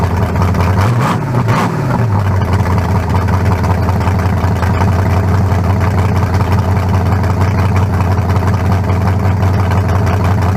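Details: 1974 Nova's new low-compression turbo small block (40-over, 3.48 stroke, forged pistons; replaces a cracked-cylinder-wall 388), run without turbos yet: steady, even lope after a brief blip, no knocks or ticks, judged better than the 388. Normal idle.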